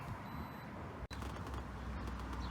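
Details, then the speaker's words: T4B Mobility three-wheel electric scooter after brake cleaning, readjustment and wheel torquing, slipping brake cable secured with two zip ties: low even wheel rumble, no squeak or rubbing. Quiet wheel, fixed. "there's no squeak anymore, so that's what it was the cable was just slipping."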